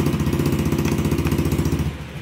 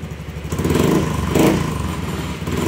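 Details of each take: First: Honda Beat scooter with intermittent hesitation: uneven, lumpy idle that dips near the end; stumbling hesitation. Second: Honda Beat scooter after new ECU installed and initialised (previously bogging intermittently; an error 7 was read and the throttle cable was frayed and replaced): engine blips up in repeated clean bursts about every second and a half, picking up smoothly without stumbling; normal revving.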